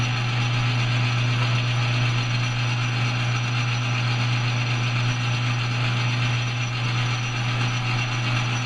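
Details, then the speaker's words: Metal lathe on power feed making a cleanup pass after tool angle was corrected from too large: steady cut with even motor hum, the earlier chattering and squealing gone. "now you can hear it's not chattering or squealing anymore sounding pretty good"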